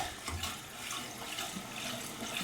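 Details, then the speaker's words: Apartment toilet: a steady hiss of water running and splashing because the fill valve won't shut off and the tank keeps overflowing; the fill assembly needs replacing. "because it was definitely overflowing I'm not sure why it won't stop like that but we will uh we'll just replace it and move on"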